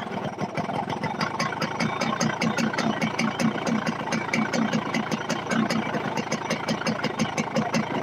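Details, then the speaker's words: Yamaha RX-King two-stroke: rough idle carrying a steady rattling knock on every firing stroke, pointing to a loose worn connecting-rod big-end bearing. "Tapi suaranya kok gini ya?"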